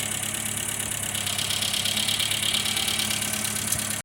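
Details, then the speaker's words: Talbot Express petrol motorhome, crank no-start diagnosed as faulty plug lead: running on a substitute coil-to-distributor lead, steady even note with no misfire; normal running. "And it was enough to get it going, so at least I know when I'm going to go out and pick up a lead."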